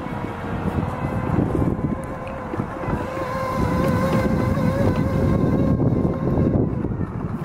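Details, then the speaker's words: Frontier V6 off-road wheelchair, driving after being taken out of storage: rising and falling motor whine under rough, irregular crunching and clicks with wind; noisy drive, owner plans to check motor shafts and possibly replace shaft seals. "Oy. The noises this thing is making do not make me happy. But boy, does it crawl over anything. There's an awful lot of crunching and clicking."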